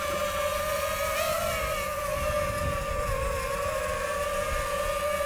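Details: DJI FPV drone in level flight on Amazon third-party props; steady high motor whine with a wavering, buzzy edge and strange vibration: propeller imbalance vibration.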